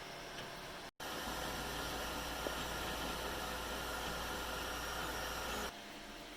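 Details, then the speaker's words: Anycubic i3 Mega 3D printer with stock stepper drivers, printing before a silent-driver mod: a constant high, thin stepper-motor whine over a hissy motion noise. "okay so today I want to be doing the silent mode for the any cubic I three mega and reason being is it's super loud so you can just hear the stepper motors whining the whole time it prints"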